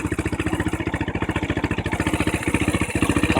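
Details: Honda NX 125 idling warm after a ride: a steady quick beat with a faint dry scrape on top; owner suspects a scraping, poorly lubricated-sounding engine noise but is unsure whether it is normal.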